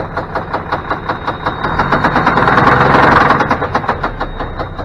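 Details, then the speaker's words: Mack E-Tech 427 diesel with a dead misfire: loud, heavy uneven knock nearly three times a second with a stumbling beat; suspected rod knock on cylinder three, rocker shaft pulling on front head, possible missing bearing; in-frame rebuild planned. "engine knock I don't know what's going on here got a rod with a knock here on it sounds like cylinder three"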